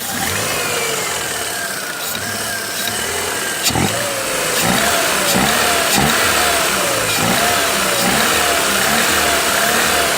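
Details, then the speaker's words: 2014 Ford Fiesta 1.0 Zetec Rocam, 88,284 on the odometer, after head gasket and cylinder head job, oil light flickering with a dead oil pump giving no pressure: sharp regular knocking about four per second while revving, sounds like crankshaft knock but is not. "Está parecendo um barulho de rajado, pessoal, rajado de vira, de virabrequim, só que não é. Esses motores aqui tem um grande histórico de bater pino, bater pino e fumar."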